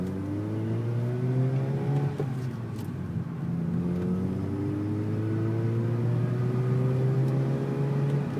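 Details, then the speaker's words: Mazda RX-8 rotary with freshly remanufactured engine, BHR ignition, no cat, on a new tune after ECU reset and relearning trims: revs climb hard then stumble and drop, bogging and misfiring at high rpm; same noise preceded previous engine failure; cause unconfirmed. "but it's the same noise that the bogging down at the high RPMs is the same noise before my last engine went"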